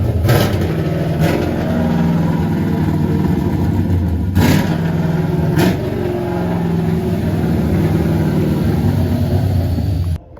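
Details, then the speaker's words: Freshly LS-swapped Nissan 350Z drift car, first start on the trailer: deep V8 burble idling evenly with sharp throttle blips and clean return to idle, no knocks or misses; engine verified working, normal running and revving. "We verified that it started, that the engine worked. I didn't put it together wrong, thankfully."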